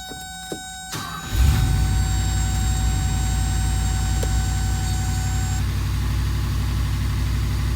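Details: 1982 Mercedes 380SL: short crank, fires and settles into a fast, even idle around 1500 rpm, well above normal; high idle, idle speed control module suspected.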